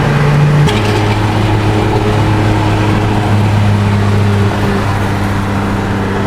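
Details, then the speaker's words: Car with exhaust leak (X3) driving through a Montreal tunnel, third gear down to second in traffic: deep drone with rough puffy edge from the leaking exhaust, owner says it should be fixed but still runs thousands of kilometres. "What my exhaust leak sounding X3 sounds like through the tunnel. So Montreal. Probably should get it fixed."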